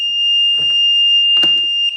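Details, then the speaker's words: Sea-Doo GTX DI 951: very loud continuous high-pitched warning beep with handling thumps, then cuts off; MAG throttle position sensor reading jumps all over when wires wiggled, rusty connector pin, connector pulled for cleaning. "Holy cow, that's loud. Let me pull that connector and we'll have a look."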